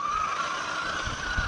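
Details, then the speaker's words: Traxxas Maxx Slash with VXL6s electronics and 25-tooth pinion on its first run: thin, high whine with slight pitch drift over low rumble, appearing once the gear cover is screwed down; suspected noisy gear mesh, owner plans a spur change. "it works that noise is horrendous though and yes I know some of the reasons why I've watched a few videos on it but I have my own fix for that"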